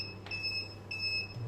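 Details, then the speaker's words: Inverter running a boiler and Wi-Fi router from an Electronicx 12V 100Ah gel battery for over six hours: short high-pitched beeps about every 0.6 seconds warn that the battery is discharged. "ройшло і 10 хвилин фактично чуєте який писк блимає остання ця акумулятор фактично розряджений тому будемо виключатися переходить на іншу Батарею"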